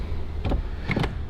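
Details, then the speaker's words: Wrecked Mercedes S-Class dressed as an S63 AMG, on low power before starting. Short bursts of motor whir with clunks and no steady travel. Sunroof motor runs but the roof does not move; the owner suspects insufficient power. "right so we need to figure out why the roof isn't working"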